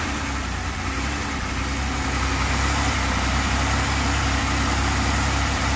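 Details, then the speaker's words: 2005 Buick Lacrosse 3800 V6 Series III, after a cold-soak no-start, with the bad MAP sensor (stuck reading atmospheric pressure) unplugged and running on a default value: catches and holds steady idle, slightly rough at first. "run not perfectly normal it's a little bit of roughness on the start but boy compared to where it was with the sensor hooked up where it wouldn't start or wouldn't run at all this is good"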